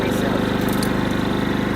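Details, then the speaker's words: Westinghouse 5000 dual-fuel generator running on propane, fitted in a 2003 Coachmen Mirada RV in place of a broken Onan 5000: steady, even beat with quick regular pulse, no misses, quieter than the old unit; normal running. "So, That's really excellent. So, it's quieter. It's quieter than the other one."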